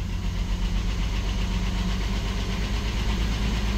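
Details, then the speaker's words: 1997 Ford Explorer XLT 4x4 first start after fuel pump and filter replacement fixing a no-start: steady, even low rumble, no knocks or stumbles; normal smooth idle. "He's alive! Yes! Victory! Running! Finally running!"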